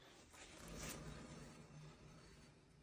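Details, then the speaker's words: Renault Clio 4, worn front wheel bearing heard at speeds from about 50–60 km/h: low rough droning hum with faint grinding edge and vibration felt at the strut top; noise gone after bearing replacement. "qui on roulant vite à partir de 50 60 km/h ça fait un bruit pas possible donc on va écoutter le roulement ensemble là vous entendez la vibration que ça"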